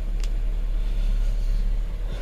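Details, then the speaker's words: 2018 Chevrolet Equinox 1.5L turbo with a new engine: it was a crank-no-start with 22 codes. After a connector was seated closer, it starts and codes were cleared. Low, steady rumble settling into an even idle with no knocks or misses: normal idle. "there we go so that's done it's running"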